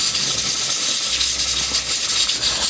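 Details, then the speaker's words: Manual stovetop pressure cooker cooking githeri (pre-soaked beans and maize) on gas after about 15 minutes; a steady high airy hiss as steam vents through the fast-spinning weight knob: normal regulator hiss at full pressure. "So after 15 minutes, it seems like my pot is boiling because the knob is turning really fast. So that is usually a sign that there's more than enough pressure inside the pot."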